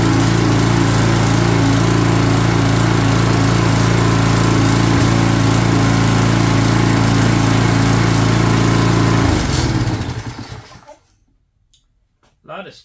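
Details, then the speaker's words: Craftsman 22" walk-behind string trimmer, Craftsman flathead engine (6.75 ft-lb torque), long sat with something spilled on it, first run on original carburetor before replacement: steady even high buzz about nine seconds, then cuts out cleanly; sounds healthy. "but hey first time I heard it run and uh it been sitting around and got some stuff spilled on it somehow"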